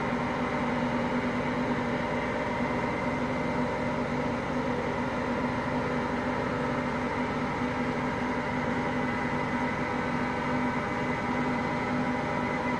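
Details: Hotpoint Aqualtis washing machine, bearings just started to go today: steady deep rumbling roar unbroken through the spin; worn drum bearing beginning to fail.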